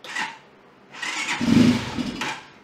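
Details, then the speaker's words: Janus Halcyon 250 motorcycle after neutral safety bypass, started in first gear holding the clutch: brief crank, then catches and rises cleanly to a steady run with no stumble; normal engine start. "we've successfully bypassed the neutral safety for being able to start it"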